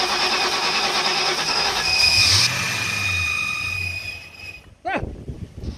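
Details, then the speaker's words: 1996 Ford Mustang GT, not run on its own, cranking with fuel pressure gauge fitted but wrong fitting showing no pressure: steady fast cranking about three to four turns a second, catches briefly but never runs; long crank, tries to start. "look at that it's already trying to start okay well I was afraid that my that my uh let's Zoom back out"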